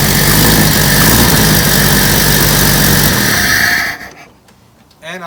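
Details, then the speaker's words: 1991 Jeep Wrangler YJ 4.0, supposedly a stroker, started after pickup: loud rough idle with a sharp ticking puff at every firing pulse and a raspy edge. Bad exhaust leak. "it has bad exhaust leak"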